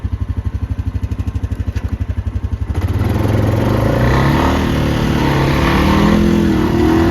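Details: 2021 Honda Rubicon 520 DCT (TRX520FA6) after a valve adjustment: steady, even single-cylinder thump at idle, then clean, smooth revving with no top-end tapping, so the valvetrain sounds healthy.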